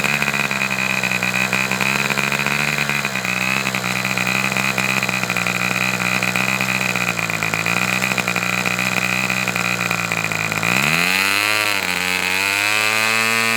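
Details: Fox twin-cylinder glow model engine, adjusted half a turn for lower RPM: high, buzzy idle near 3600 rpm wavers, sagging and recovering near the end as one cylinder drops out; low-speed needle judged to need two more notches.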